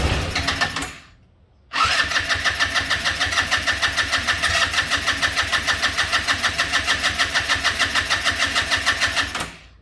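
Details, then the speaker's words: Yerf-Dog go-kart with GY6 150cc engine after a no-spark fix: cranks, catches and runs a few seconds at a quick, fairly even beat, then dies; it has compression and spark, but the gummed-up carburetor starves it of fuel. "this carburetor is all gummed up, and that it just running for a couple seconds and then dying."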